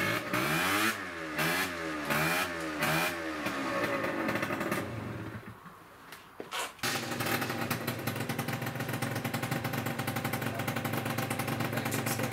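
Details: Peugeot Speedfight 50cc two-stroke scooter after a full fix (carb, jets, variator, rollers, exhaust) on a ride test: crisp revs rise and fall, then a steady buzzing pull with no bogging, reaching 40–45; it runs properly.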